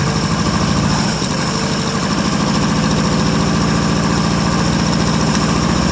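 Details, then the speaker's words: 1959 International B120 4x4 pickup, first cold start in about five years, fuel poured into carb; uneven loping idle with irregular low thumps, like it is starving for fuel; not pulling gas from tank, fuel system needs work; rough idle. "well it looks like it's going to need some work on the fuel system so it gets gas but anyway it does run nonetheless"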